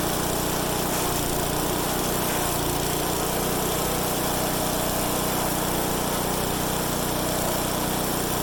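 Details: MTD-built Craftsman/Troy-Bilt chipper with newly replaced blades on a test run; loud small engine running continuously with an even drone and no knocks or grinding, sounding healthy.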